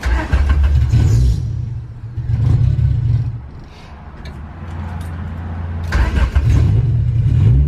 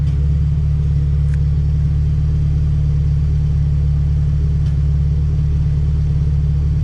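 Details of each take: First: Honda Civic Si EK coupe, B18C1 GSR swap with Precision turbo, stock cams, first start before dyno: engine lopes and stumbles with uneven low pulses between throttle blips, running really rich and "sounds cam"; cause not yet found. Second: Honda Civic Si EK coupe, B18C1 GSR swap with Precision turbo, after tune refined: deep even idle, steady low rumble with no stumbles, misses or ticks; air-fuel ratio "pretty dialed", runs smoothly.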